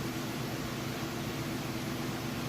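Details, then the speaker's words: Whirlpool Roper washer finishing its spin cycle: an even, steady rushing hum with no knocking, banging or rubbing. It spins fast, even and level, normal. "Alright, we got this guy on finishing up of the spin cycle. Spinning nice and fast. It's nice and even and level."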